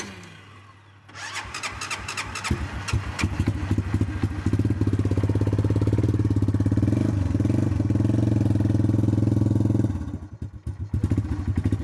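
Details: Cold start attempt: repeated uneven cranking with brief, ragged firing bursts that never settle into a steady idle; engine cranks but won't start.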